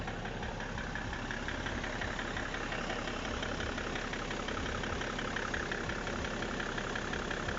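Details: BMW E60 535d diesel at idle: steady clatter with a rough, uneven knock roughly three times a second; owner asks whether the engine runs correctly; engine knocking at idle, source not pinned down.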